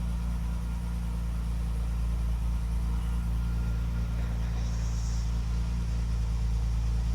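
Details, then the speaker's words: Classic car after ignition recommissioning with correct coil, new contact breakers and condenser gapped, original HT leads: deep, even low rumble, no stumbles or missed beats, firing on all cylinders, best it has ever run; normal idle. "It's firing on all cylinders. It's never run that well."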